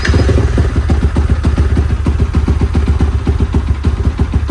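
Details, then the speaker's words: Freshly rebuilt Yamaha Y15 single with a semi-dome piston, TPS just set: lumpy, uneven idle with slightly scattered timing. It runs rich, smelling strongly of fuel and smoke, attributed to the mismatched throttle body and injector combination (36mm body, 160 injector). "Memang berterabur sikit dia punya timing, sebab throttle body dia tukar kepada 34mm, injector dia tukar kepada 18mm, daripada 160, throttle body daripada 36."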